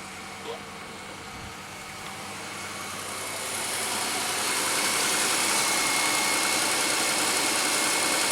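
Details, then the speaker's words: 2003 Pontiac Grand Am idling after reassembly: steady hiss-like engine bay noise; seller suggested the water pump, and it seems to come from that area; a heat shield or exhaust rattle was also considered; cause unconfirmed. "Yeah, that noise. Maybe it is the water pump. The lady who I bought the car from said that it might need a water pump. That could be maybe what that noise is. It does sound like it's coming from that area."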